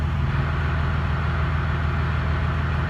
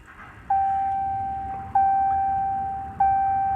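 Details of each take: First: 2017 Ram 2500 Cummins diesel, G56 manual with new Valair quiet organic dual disc clutch, stock ATF+4 before fluid change, idling clutch out: deep idle with low rapid rattle, gear rollover noise inherent to dual disc clutch, not a fault. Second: 2017 Ram 2500 Cummins diesel, G56 manual with Valair quiet organic dual disc clutch (QG56DDSN-ORG), after replacing ATF+4 with 7 quarts Mobil Delvac 50: cranks, catches, settles into steady even idle, clutch out, gear rollover nearly silent.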